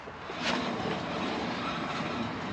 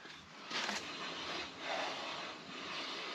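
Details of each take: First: Chevrolet Silverado, raised front wheel spun by hand: rough gritty roar; front wheel bearing failing, no side-to-side play yet. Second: Chevrolet Silverado being prepped for a long trip, front end jacked up, front wheel spun by hand: soft even hiss with light brake rotor brushing, no roar or side-to-side play; healthy wheel bearing on this side, unlike the rough other side.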